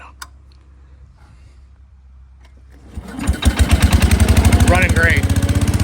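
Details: 1968 Case 155 garden tractor: quiet at first, then the engine catches and settles into a steady, even thump of about three beats a second; runs healthy.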